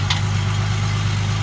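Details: 2005 Ford Mustang 4.0 that wouldn't start, idling after the cats were dealt with and the sensor fitting tightened: deep, steady low rumble at an even idle with no puffing or ticking from the exhaust, sealed and healthy.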